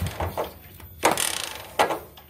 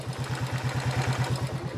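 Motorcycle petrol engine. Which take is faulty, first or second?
first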